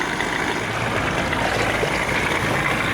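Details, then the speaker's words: 1987 Johnson 40 hp two-stroke outboard in the water; the primer bulb is likely shot. After a little warm-up the idle drops lower and runs steady and even with no misses or surges: normal idle. "so your primer two is probably pretty much shot a little warm up see how it's idling lower now yeah"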